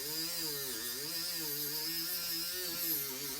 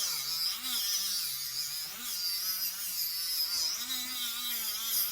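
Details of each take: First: Dremel rotary tool polishing silverware: a high whine that repeatedly sags in pitch as it bogs down under load when the bit is pressed, with a loud grinding hiss. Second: Small Dremel-type rotary tool polishing a silverware fork: small high-pitched motor whir with faint wavering tone, holding speed steadily under load with no bogging down, unlike the larger Dremel. Normal running under load.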